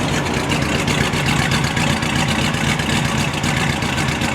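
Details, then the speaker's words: 1955 Ford Fairlane Victoria, off the road since 1992, idling through long mufflers before its first drive: lumpy V8 idle with a faint, quick tick over the burble; owner suspects a lifter tick, unconfirmed. "so sounds like bit of a lifter tick maybe I don't know how long it's been since this thing's been ran"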